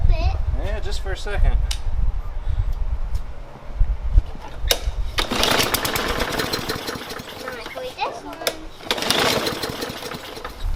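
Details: Briggs & Stratton engine on a Yard Machines mower, just primed: repeated raspy pull-cord cranking bursts, each dying away with no catch; turns over but won't fire, attributed to stale fuel clogging the carburetor.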